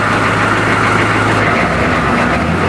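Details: M1028 CUCV diesel truck after a new alternator, with batteries hooked up: steady even low diesel rumble at idle under a loud hiss, no pulsing or surging; gen light steady, no needle pulse when revved; healthy settled idle.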